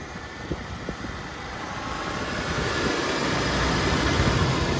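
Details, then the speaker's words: BMW E36 being restored, car sat for a long time, just started: engine idles with an uneven, lumpy beat and slowly rising level; rough idle. Owner suspects the idle valve or long storage and thinks it may just need to warm up. "Okay guys, I don't know if you can hear me, but you can hear the car's running a bit strangely. It's probably something with the idler valve or something. It's not going so well."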